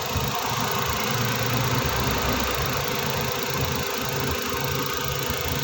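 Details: Suzuki DA64, K6A three-cylinder petrol engine, after fixing cylinder 1 misfire (ignition leak) and clearing check engine light: steady idle, even low hum with no skipping beats; normal.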